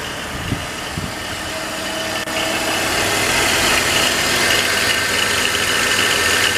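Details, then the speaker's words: 2006 BMW X3 3.0L at idle: a steady high-pitched whirring hum from the worn main drive belt tensioner pulley bearing; fix is to replace the tensioner and the idler pulley. "so you hear that rotating sound that like a bearing going back down this one"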